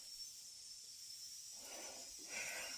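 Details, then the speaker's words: Pressure canner cooling down naturally after canning, gauge near zero: quiet steady hiss with a couple of louder breathy puffs, still venting steam, so the lid stays on until the whistling stops. Normal steam venting during depressurization. "And you'll know it won't just be on the 0 on the gauge, but you won't hear that little whistling noise anymore."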